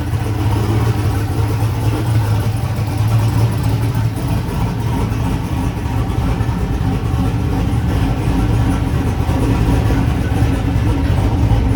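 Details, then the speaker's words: Chevrolet S10 idling with a steady, deep, even rumble and no misses or knocks. It started rough, possibly because an earlier idle-screw adjustment upset the IAC and idle; once readjusted, the idle is normal. "so it kind of started weird but after I adjusted that back it seemed to be all right but yeah it's uh it's running sounds awesome"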